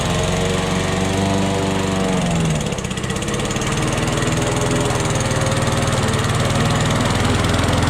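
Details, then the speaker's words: Old Toro lawnmower that sat for years, mowing. A steady, even single-cylinder drone dips briefly in heavier grass, then recovers cleanly. The owner suspects a sticking float dripping fuel. Normal running under load. "folks that's it the yard is mode and uh that's it that's all it took to get her fired up"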